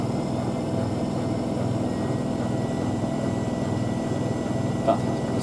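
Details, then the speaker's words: Miele W5000WPS Supertronic washing machine (2012) at its 1600 rpm final spin: smooth, even high-pitched jet-like roar with no knocks or scraping; drum and bearings sound healthy. "a jet engine it does sound good now you hear it doing this"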